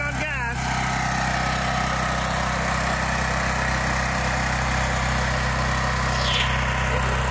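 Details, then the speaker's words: Gentron 10,000 W GG10020GL dual-fuel generator now running on gasoline after the carburetor solenoid wires were pulled; before, it ran only on propane. Steady, even drone with a firm low hum and no surging or misses. "put my phone down and turn it on so you guys can see it running all right so check it out it's running on"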